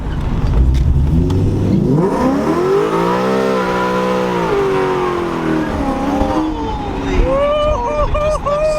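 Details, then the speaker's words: Coyote V8-swapped New Edge Terminator Cobra Mustang, hard acceleration run: deep roar climbs smoothly, shifts and pulls again with no misses, knocks or rattles; engine and transmission judged perfect. "oh so fast this is like a rips and it sounds so good oh wow oh i think we could make it a little bit louder but wow damn i like this all right let's do it again that sounds amazing bro"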